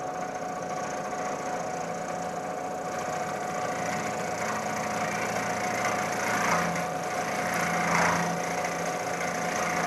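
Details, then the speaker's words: Milling machine end mill chattering on a heavy climb-milling pass: rough cutting rasp with steady ringing tone surging as the part is pushed back and forth; a larger cut or larger end mill would likely have broken it. "Now you can hear the part being pushed back and forth. If I'd taken a larger cut or been using a larger end mill, I would have probably broken the end mill."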